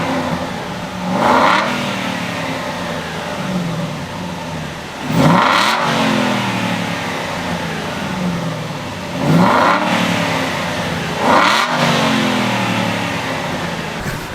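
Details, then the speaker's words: Crash-damaged salvage Aston Martin Vantage 4.3-litre V8 (dry sump, oil level checked full), revved indoors: four clean, sharp throttle blips falling back to a steady idle, a healthy V8. "how ridiculous does that sound it sounds wicked even though obviously we're inside so it's gonna seem louder than it actually is on the open road"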